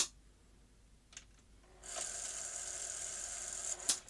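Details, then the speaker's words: Sony SuperBeta SL-HF600 VCR, also faulting with an all-lit display and continuous lacing and unlacing, powered up with one side of the lacing mechanism moving and the other not: about two seconds of hard high-pitched whirr and rattle as the lacing drive gear slips. "power up so that side's moving and that side's not oh and then it's making an awful noise"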